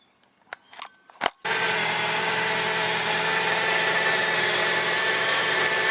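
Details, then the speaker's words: Toyota Tarago/Previa/Estima TCR10 van after replacing the separated accessory drive shaft (SADS), which had developed rattling and screaming noise: brief clatter, then an even high-pitched whir, no rattle or scream. Normal running after repair. "beautiful all that rattling and screaming noise is gone beautiful"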